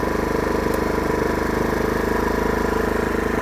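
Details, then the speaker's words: Oxseryn 2500 W inverter generator (1800 running watts) in eco mode with a fan load of 22.8 watts. It putters low and perfectly even, with no misses, knocks or hunting. "and it is blowing. We are currently running 22.8 watts, and this is running in eco mode."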